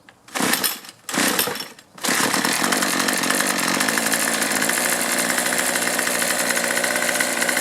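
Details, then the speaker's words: Troy-Bilt two-stroke string trimmer, previously quitting after 10–15 minutes, after fuel system repair and new primer bulb: catches after two pulls on half choke and holds a steady even high buzz without surging; normal running. "not a bad deal for 13 bucks I don't have to fight to get this thing started"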